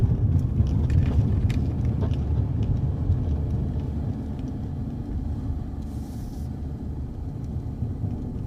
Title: low rattling sound from passenger front (sounds like it's coming from around the (foot box?) area)